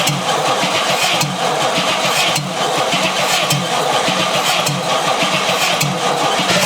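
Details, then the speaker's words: 1956 Chrysler Windsor 331 Poly/Semi-Hemi V8, freed from stuck, hot-wired with no carburetor: rough but steady brief running, firm even beat, no hammering or knocking underneath; bottom end sounds sound. "If this engine is hammering, which I think it sounded pretty good, No hammering there."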